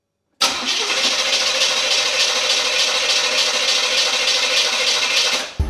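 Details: A "KITT" Knight Rider replica that stalled and showed "off" on its display now won't start. The starter churns steadily for about five seconds without the engine catching. The old fuel filter was heavy and possibly clogged. Cranks, no start.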